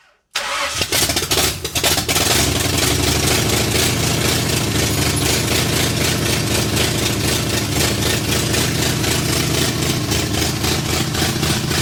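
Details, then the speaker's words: 1964 Ford F100, salvaged 302 V8 with a full-roller cam of 900-something lift, in park, first runs after decades off the road; loud choppy loping idle about three pulses a second; owner suspects the big cam; dies from lost ignition power. "boom [Music] sounds radical it's probably that Monster cam I put in it 900 and something lift full roller"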